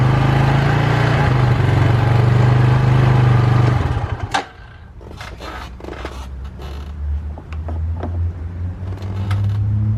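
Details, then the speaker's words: 2005 Polaris Predator 500 ATV after DIY carburetor clean, test run: single-cylinder thump runs even and strong, then settles to a quieter steady idle, nothing irregular; normal running. "all right you guys we did a quick test run she sounds good she looks good well technically she ugly but you get what i'm saying but yeah she runs good she performs good"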